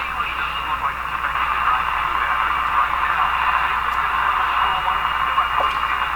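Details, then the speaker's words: General Electric KL-70 AM/SW radio with Beam-A-Scope steerable loop antenna under investigation: AM station tuned in steady with light hiss, no crackle or fading; normal AM reception, also picks up a French station. "Okay, so a radio that can pick up this French station is doing pretty good. This one's doing pretty good. That's a local AM station, maybe 100 miles from here or something."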